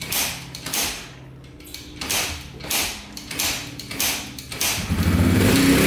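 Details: Yamaha TTR125 dirt bike (believed 2003) after top and bottom end rebuild, following running out of oil; 1000 ml oil added; crisp throttle blips rise and fall cleanly, no ticking or knock; runs and sounds really good.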